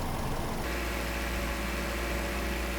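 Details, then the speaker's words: BMW B48 4-cylinder (F-series 330i/430i) after water pump replacement, idling with both coolant caps off to bleed air, heater at max: steady, even low hum with no knocks, misses or rattles; idles smoothly. "Let it idle for, I would say, at least 5-6 minutes with the both caps off, just to let the air out, to clear the system better, to basically bleed the system better out of all the air that is there."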